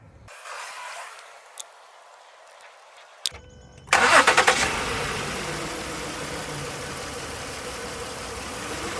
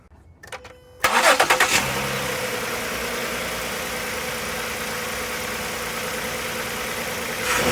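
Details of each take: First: Ford Flex 3.5L V6 with code P0306, cylinder 6 misfire: started after stretching coil spring, still idles with uneven stumbling beat; owner certain from behavior that the ignition coil pack is faulty, replaced to fix. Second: Ford Flex 3.5L V6 after replacing the cylinder 6 ignition coil for code P0306 misfire: catches quickly and settles into a smooth, even idle with no stumble; misfire gone, normal idle.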